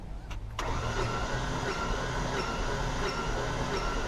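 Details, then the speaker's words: 2007 Ford Ranger, no-start with suspected no compression and water on one spark plug, cranked with most plugs out: sluggish, uneven cranking about four turns a second; rod bearing suspected, not confirmed. "How's the bearing? Rod bearing? Not turning over very good."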